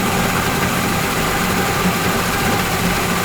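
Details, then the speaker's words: Yamaha 40 HP two-stroke Precision Blend outboard with oil injection, in a test tank after carburetor cleaning: started on the first pull and smoky because the cylinders were full of two-stroke oil. Steady note with no stumbling, popping or surging. "that's after the card clean and it started on the first pool I knew it was going to be smoky because the cylinders were full a two cycle oil"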